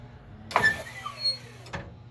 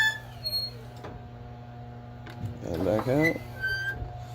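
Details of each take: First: 1996 Kwikee Series 32 electric RV step after gearbox replacement, retracting as the door closes: short motor whir with a falling tone for about a second, ending with a soft clunk. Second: 1996 Kwikee Series 32 RV entry step after gearbox replacement, test run: low motor hum with sharp squeaks from the dry linkage pivots underneath, to be lubed with Teflon dry lube.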